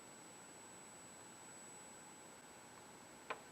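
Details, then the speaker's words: Dumont RA-102 "Clifton" television on power-up, after adjusting the horizontal peaking potentiometer between the 807 tubes: faint, thin high-pitched whine held steady; the high-voltage/flyback circuit singing normally. "Uh but, that singing sure sounds like a high voltage circuit to me, so let me move some stuff aside, and get my high voltage probe back out, and see"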